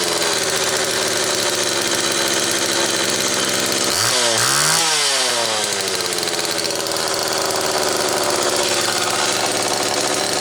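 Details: Homelite XL Automatic chainsaw after repair (fuel issue had forced full-choke running; new bar stud), cold morning, engine half warm; started in about six pulls; loud steady high-pitched buzz with one short rev dip recovering cleanly; high speed close enough; normal running.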